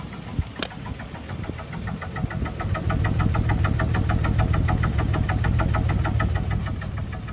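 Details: 2010 Ford Explorer XLT 4x4, idling after about 20 minutes running without overheating: deep uneven exhaust beat, about three pulses a second, from a misfire; judged possibly not highway-drivable.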